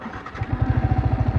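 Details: Yamaha R15 V3 motorcycle, fuel in tank, after riding through mud, sudden power loss and repeated stalling; lumpy uneven exhaust pulsing about eleven beats a second, sagging and stumbling: misfire and near stall, cause unconfirmed.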